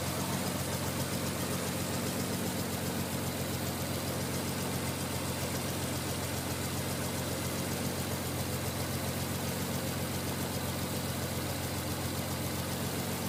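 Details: Cold non-turbo Nissan R33 after sitting about 2 days and cranking hard: lumpy, uneven idle stumbling irregularly about 220 times a minute, misfiring until about 10 minutes warm. Coilpacks, injectors, gasket and fuel supply checked fine; cause unknown.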